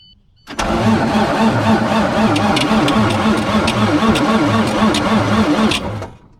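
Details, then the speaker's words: Auction diesel with a claimed 490,000 miles and black oil, cranking sluggishly at about four compressions a second without firing: a slow, labored crank, with what was thought to be the fuel pump cycling beforehand. "Definitely doesn't turn over as nice as that one at the auction."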